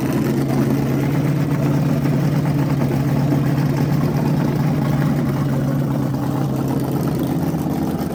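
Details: Freshly rebuilt small block Chevy 350 for an OBS Chevy truck, running on a converted engine stand with headers and hot tap water in the block: an even V8 rumble with no knocks, ticks or misses. Healthy, normal running.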